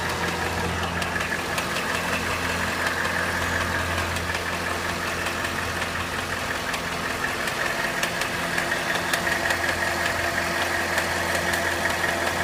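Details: Cadillac Northstar 4.6 V8 at steady hot idle: a light, fairly even tick of roughly three per second rides over the hum; intermittent clicking only when hot, cause unknown.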